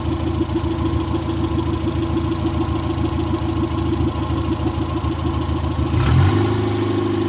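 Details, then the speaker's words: 1958 Morris Minor ute (LCV pick-up) engine, first start after sitting 20+ years, generator belt loose and barely charging: even, steady low putter at a settled idle with no knocks or misses, then a brief blip; normal idle. "I can't believe this thing is actually going. This is crazy."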